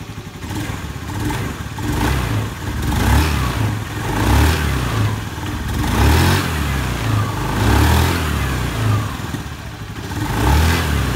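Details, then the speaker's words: Honda Beat scooter revving in even swells after CVT service with a new pulley bearing, re-checked after a rubber shim was fitted because it had still made a rek-rek roughness on throttle; the drive now sounds smooth, free of judder. "Nah, sudah halus."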